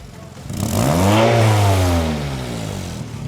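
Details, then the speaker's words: Car exhaust leak at a damaged joint, soot blackening the heat shield: engine revved, sharp hissing puff that grows with throttle; fix is replacing the joint gasket after soaking the bolts in brake fluid. "然后你们听一下这个声音，听到没有？这种就是典型的排气管漏气发出来的一个呲呲的响声。只要你踩油门，这个响声还会变大。"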